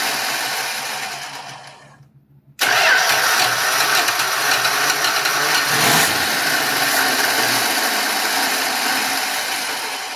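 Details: 1966 Dodge Dart, 225 slant six, with a cheap imported Autolite-style single-barrel carb replacing the old Holley 1920 and the fuel inlet line corrected: cranking, a pause, then it catches and runs steadily and cleanly.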